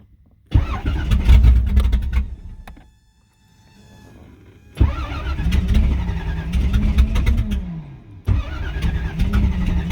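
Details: After replacing a fuel injector (part 193300545-3) on the fuel rail, the engine cranks and catches quickly, settles into an even idle, then restarts cleanly after shutoff; starts and runs normally.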